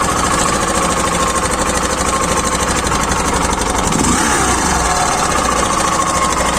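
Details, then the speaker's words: Idle on a Hero Glamour i3s BS6 motorcycle: loud idle with busy mechanical chatter over the engine beat, an unusual noise whose source can't be located; mechanics unable to fix, suggesting part changes. "कहां से यहां से sound निकल रहा है कि यहां से निकल रहा है कुछ पता ही नहीं चल रहा यार पूरा हम परेशान हो गया यह साउंड को लेको यार"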